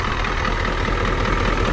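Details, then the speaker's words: Ford 7.3 IDI diesel after a glow plug controller replacement: an uneven, lumpy idle with irregular knocks while it purges air drawn in through a rotten, leaking fuel-line vacuum cap, since replaced; this air caused the hard starting. "so that's why she was so hard starting she's still running a little rough because there's some air in there"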